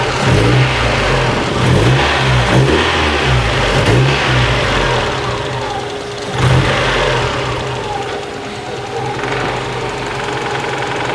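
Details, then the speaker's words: Mazda Miata engine warming up: idle sags to about 250 rpm, low and lumpy, near stalling; idle drops from about 1000 to 200 rpm every five seconds; owner suspects vacuum leak or idle air control valve on intake manifold, unconfirmed. "see just the rpm gets super super low so i'm not sure what it could be"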